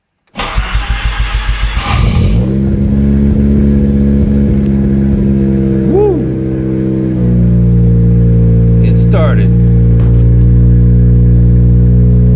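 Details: Mazda RX-7 FD rotary, first start of the year after a battery problem; steady cranking about three turns a second, then it catches and settles to an even idle, still somewhat high when cold; normal start.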